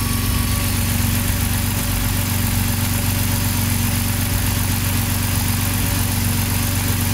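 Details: BMW (E60 M54 / E53 M62) with LPG (Stag) system and sporadic misfire traced to the original Stag plug connector; warm idle, smooth and even steady hum, no stumbles: normal six-cylinder idle.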